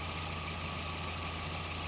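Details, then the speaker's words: Volvo 940, engine had been dying at stops and hard to restart, after fuel pump relay repair by reflowing solder: short steady, even idle with smooth low hum, no stumbles or misses; running normally. "one way to plug it in the hook done and it runs"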